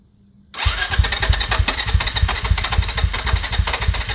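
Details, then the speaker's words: Suzuki DRZ motorcycle with FCR 39 carburettor after rebuilding a broken engine: starts at once into a steady single-cylinder thump of three to four beats a second, clean, with no clacking; healthy running. "ok elle tourne il y a pas de S qui touche c'est cool"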